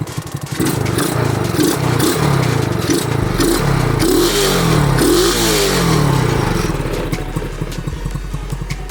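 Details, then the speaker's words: Pocket rocket two-stroke just fitted with a bigger 27mm Mikuni carburetor, first start while still cold; crisp buzz rising and falling with throttle blips, no misfire or hesitation; sounds good. "I know one thing, it does sound good."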